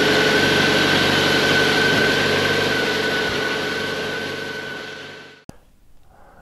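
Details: 1998 BMW K1100LT motorcycle, about 83,000 miles, after replacing the fuel pump (tank held debris and probably dirty water): engine runs steady and even with a clean, constant whine, no misfires or stumbles, then shuts off cleanly; sounds healthy.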